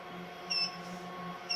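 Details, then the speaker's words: Smart switched power distribution unit demo box: two short high beeps about a second apart over steady fan hum, warning that current from the heat source and fans has exceeded the set 2 A warning threshold. "now we can hear it beeping because it has exceeded the two amps threshold we set for the warning signal"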